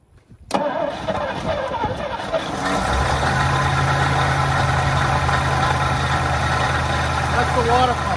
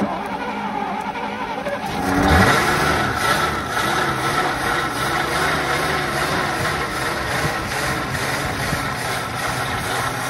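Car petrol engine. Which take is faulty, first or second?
first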